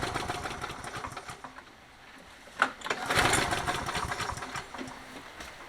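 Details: Toro 20789 mower, Briggs & Stratton Intek engine with hot-restart trouble: pull starts bring backfire pops and coughs but never catch despite priming 4–5 times; intake valve clearance found excessive.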